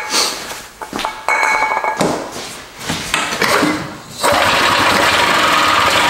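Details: Barn-find Harley Davidson golf cart engine, fuel line newly fitted plus ether: coughs and stumbles in ragged bursts, then catches into a rough, uneven run; hard starting.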